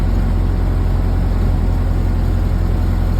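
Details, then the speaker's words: 1931 Ford Model A four-cylinder after engine rework with new Snyder 5.5 head, not yet hot, part throttle: steady chugging slows as the spark timing lever is retarded, picks up when advanced; rpm dropping from retarded timing. "hear the rpm slowing down let me go and advance it picking up a little bit still going"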